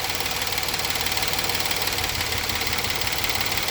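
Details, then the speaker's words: 2019 Kia Sorento 3.3L V6 idling rough with an uneven pulsing stumble while cylinder 6 coil is unplugged, misfire counter rising; confirms cylinder 6 misfire, likely needing a new coil and plug check. "and there we go number six counting up and I'm going to go ahead and plug the coil back in and back to running smooth so that confirms this is number six guys"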